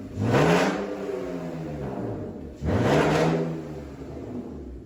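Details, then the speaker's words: BMW E46 drift build with new fitted exhaust, dual tips and one muffler: two clean throttle blips, revs rise and fall smoothly with no rasp or leak puffing; sounds better than original exhaust. "Definitely sounds better than the other exhaust, that's for sure."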